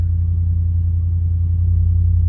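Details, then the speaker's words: 2017 RAM 5.7 HEMI V8, about 84,000 miles, first start after replacing all 16 original spark plugs with NGK laser iridium plugs and refitting the coil packs. Steady, even low rumble with no ticks, knocks or misses; idles cleanly. "Sounds good to me. At least it fired up. I don't hear any weird noises, so that's a plus."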